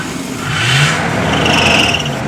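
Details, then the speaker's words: 1977 Ford Camper Special that sat a few years, with fresh gas and a new battery: sprayed with starting fluid, it catches and revs for about a second, then sags as the fluid runs out. "had to go get some starting fluid so spray a little down in there whoops Jim carried it yeah all right see what she does well a little fire up off the fluid"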